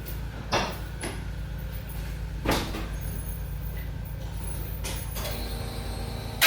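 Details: Twin-turbo 5.3 V8 in a New Edge Mustang, first start after wiring the new build: steady low idle burble, even throughout, with a few handling clunks; normal idle.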